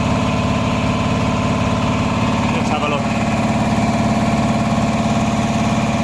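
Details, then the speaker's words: Repaired 400V V-twin air compressor, about ten years old and lightly used, formerly not making pressure: steady fast chugging about two and a half pumps a second, even strokes, no clatter, building toward 140 psi; pumping normally. "okay we're getting 140 psi now it's so pressure especially the tank like that well it's working I think we're calling out of success happy days"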